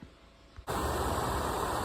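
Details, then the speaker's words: Exhaust fan after fixing stripped fan wheel by wedging a zip tie on the shaft flat: quiet, then steady even rush of air with no rattle; normal fan operation. "super quiet super strong done"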